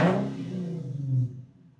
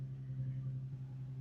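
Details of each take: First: Infiniti/Nissan after throttle body cleaning and idle relearn, engine warm: short rev blip drops back cleanly to steady idle just under 1000 rpm, no hunting or stalling; idle calibration successful, normal. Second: Infiniti/Nissan right after throttle body cleaning, engine warming toward normal temperature before idle relearn: steady low hum at high idle, no dip or hunt; idle high because carbon buildup removed lets more air through.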